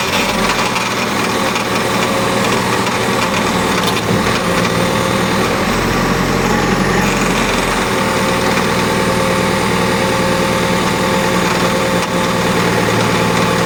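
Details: Cat hydraulic pump with the engine running: a harsh, gritty rasp with a few faint tones layered over it. The hydraulic pump is abnormally noisy and rough; the cause is not identified.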